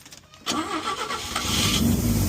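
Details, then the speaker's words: 1962 Chevy Biscayne, original 235 inline-six, with a makeshift welded temporary exhaust partly plugged with debris: fast idle with faint steady hiss from a small exhaust leak. "have a small leak up here, as you can hear the hiss."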